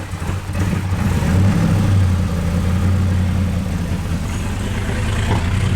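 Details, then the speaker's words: Wrecked C6 Corvette Z06 V8 with Texas Speed heads and cam: catches within a second and settles into a deep, lumpy but steady idle with no knocks; starts and runs fine. "james what do you think i think it runs it runs finally"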